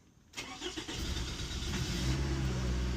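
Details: 2006 Toyota RAV4 after cylinder head reinstalled: quiet, then brief crank, catches and settles into a steady, smooth idle; a slight exhaust header leak is audible.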